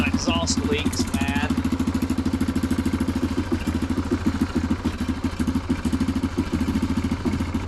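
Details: Neglected Yamaha Grizzly 660 ATV found with no antifreeze and no oil, idling: sharp, regular puffing ticks about three a second over the single's idle thump.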